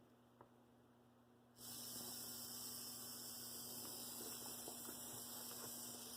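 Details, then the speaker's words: Rebuilt Bachmann GP30 pancake motor, collars raised and glued after scraping the core, run from 4.8 volts up to 14 volts, stalls at about 0.3 amps; clean, steady hum with no scraping; normal motor run. "Sounds pretty good. Dial it up. Let's see, here we've got the 14 volts that Tech 2 will put out. Sounds really good."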